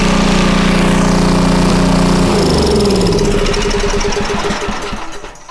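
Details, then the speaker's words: Homelite 2500 W generator after blowing out the plugged main jet: engine runs briefly, then firing pulses spread and slow as it winds down and dies; lean running, air filter cover to be refitted for proper draw. "I'm going to put the air filter cover on there to give it a proper drag because it was running a little bit lean."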